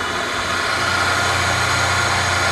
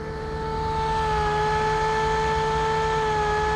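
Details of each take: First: Webb Wahcheon lathe at 1800 rpm, 60 Hz, run off a VFD on 220 V single phase after a 20-second ramp-up: steady even hum with smooth hiss, no knocks or surging; normal running. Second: Webb Whacheon lathe run on a VFD from 220 V single phase, up to 1800 rpm; steady mid-pitched hum with a whine; owner suspects a fan, one side's fan apparently not spinning; unconfirmed.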